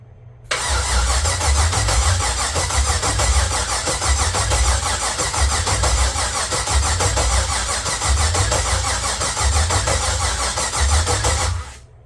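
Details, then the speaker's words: LQ9 V8 swapped into a BMW E36, first crank after six months, fuel pump not connected and MAP sensor missing: starter spins engine steadily for about ten seconds without firing; normal cranking, no start. "okay um it cranks over so that's good uh obviously I don't have the fuel pump hooked up"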